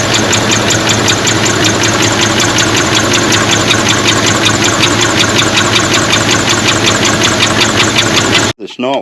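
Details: 1977 Trans Am four-speed V8, not run for 17 years, after replacing a plugged pushrod with some rockers still not oiling: fast even ticking, two to three a second, over a rough idle; cause not confirmed.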